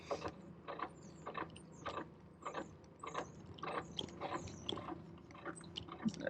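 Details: Razor pit bike motor test (EC4P vs MY1020) at full throttle, around 105: uneven clicking, gear-chatter rattle a bit under two per second; drivetrain complaining under load, cause unclear.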